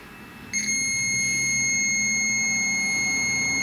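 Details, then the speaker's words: 2002 Ford Explorer Sport Trac 4.0 V6 with a bad Bank 1 Sensor 1 oxygen sensor: a multimeter continuity beep held steady across the white heater wires of the new sensor, so its heater circuit is intact. "we've got the old meter set to make sound when there is continuity"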